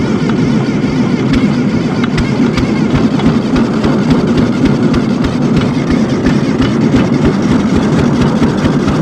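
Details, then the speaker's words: ZT200 mower engine that bogged and spewed oil, owner suspects heavy blow-by: the starter spins it fast and evenly with no labored compression strokes and it never fires. No compression. "there's no compression"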